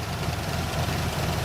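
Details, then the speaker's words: 1967 Buick GS 340 V8 just started after sitting 15-20 years: rough idle with light quick ticking, suspected lifter noise; owner expects it to clear after warm-up and oil change; ignition suspected for roughness. "she stinks though that's for dang sure they got some lifter noise but"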